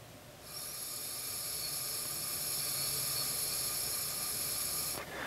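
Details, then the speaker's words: Single-cylinder Briggs & Stratton Intek small engine on a leak-down test at top dead center on compression stroke: steady sharp air hiss for about four seconds from behind the intake runner, confirming a blown head gasket; head to be removed and checked for warpage. "we go so there's our head gasket leak"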